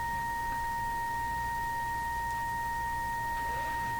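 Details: Canadian Westinghouse Model 577 radio, troubleshooting silent speaker; field coil measures about 590-600 ohms and is energized: steady clean tone near 900 Hz without buzz or rattle, field-coil speaker reproducing properly.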